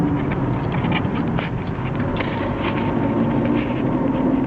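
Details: BMW E36 320i automatic, 250,000 km, driving shortly after cold start: thin steady whine over road rumble, absent when standing and fading when warm; caused by the almost-new driveshaft center support bearing, not the transmission.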